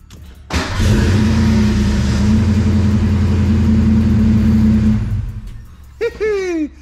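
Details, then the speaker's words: 1987-1993 Fox-body Mustang after a new ignition switch that did not cure the fault: catches and idles steadily about four seconds, then fades and dies; engine stalls after starting. "ignition switch did not fix the problem it's still the exact same problem so I've really got no idea actually what's causing it because start it up and it just dies"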